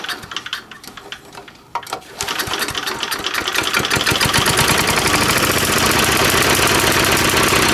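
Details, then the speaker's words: 3.5 HP Tecumseh single-cylinder engine, no throttle control, during tune-up: catches, stumbles unevenly for a couple of seconds, then fires rapidly and stalls; owner suspects too little fuel and adjusts the carburetor main jet screw. "it just stalls. So I think it's not getting enough gas. So we're gonna wind this main jet screw out a bit and try again."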